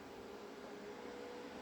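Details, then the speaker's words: HP Omen desktop with GTX 1080 Ti under Prime95 full CPU load: quiet airy whir and faint mid-pitched hum as the case fans spin up, apparently CPU-temperature controlled; normal fan ramp-up under load. "the one thing you can hear though is that the fans are kicking off. So the fans must be controlled by whatever the CPU temperature is at."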